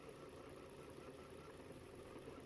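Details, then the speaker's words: 2011 Volvo XC60 3.2 with misfire codes P0302 and P0304, idling during coil-unplug test: idle turns uneven and lumpy with dead-cylinder stumble once this coil is pulled, so it was firing; coil 4 later shows no change. "Okay, an easy way to see if the ignition coils are bad is disconnecting each one."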